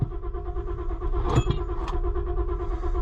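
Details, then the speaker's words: Auction-bought cheap Ford Super Duty after replacing fuel pump control module: cranking about six pulses per second with brief stumble as if catching, then no start; owner suspects air; code: fuel pump control module circuit open, lost communication. "tried to start that time maybe it's got air in [Music] it I tried to freaking start"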